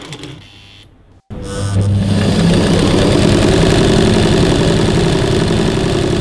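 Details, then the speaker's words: Singer 984 semi-portable sewing machine with front-load bobbin, running: a fast, steady mechanical clatter of about four beats a second. Normal, though slightly rougher-sounding than other semi-portable brands. "Suara mesin ini sedikit lebih kasar jika dibandingkan dengan mesin jahit semi portable merek lainnya."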